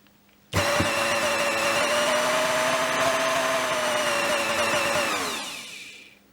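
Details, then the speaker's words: Kenwood Chef A901 motor on the bench, speed control repaired with new capacitors, resistors and triac after smelling and smoking: snaps up to a steady high whine, holds speed, winds down cleanly; running properly. "Sounds much better, ready to be fitted back to the machine."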